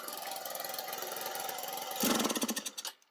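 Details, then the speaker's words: Baja Dune 150 buggy with Chinese engine, after new spark plug and coil; small engine idles unevenly, surges when throttle opens, sputters a few pops and dies; starts fine but dies on gas, owner suspects carburetor. "and then dies when you give it gas."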